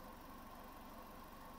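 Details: 2013 Fiat 500 warm idle after thermostat replacement: quiet, even low beat with faint radiator fan hum and no knocking or hunting. The thermostat has opened, the hose is hot and there are no coolant leaks; running right.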